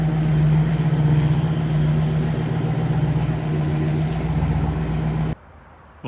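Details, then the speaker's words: Engine after repairing the failed distributor gear that caused a whine, on maiden yard drive: deep, even drone with steady pulse and no knocks or misfires; engine, transmission shifting, brakes and steering seem good. "everything seems to run good transmission shifted well motor sounds good uh brakes and steering seem uh good"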